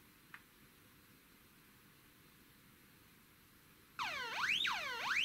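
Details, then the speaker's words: Avro Shackleton stall warning tone generator 6A/12860, early 1970s, bench-tested with a potentiometer simulating the angle-of-attack sensor; above stall angle the relay clicks and a loud warbling tone sweeps about twice a second, working normally. "Au dessus d'un certain angle d'attaque vous pourrez entendre le claquement du relais et vous remarquerez aussi que le son est plus fort."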